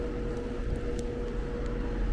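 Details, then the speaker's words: AC unit on a no-cooling call: condenser fan whoosh with a steady low hum and buzz as the compressor tries to start but doesn't; locked compressor, amp draw 6.62 A shows only the fan running. "Ooh, you heard that? That was just a compressor trying to fire. You heard that little hum?"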